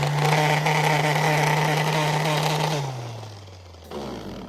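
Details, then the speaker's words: Worn sanding tool used for spot-prime prep on an LS-swapped S-10, sounds like chewing on a bag of gravel and barely wants to spin; coarse grinding over a low hum that sags and spins down quickly. "chewing on a bag of gravel and it barely wants to spin."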